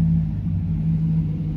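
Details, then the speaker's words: 2008 Chevrolet Silverado V8, almost 120,000 miles, after throttle position sensor replacement and the idle relearn: a deep, steady, even rumble with no misses, ticks or surging, sounding normal on throttle, with no check-engine light. Normal idle. "everything sounds normal we hit the gas it sounds normal"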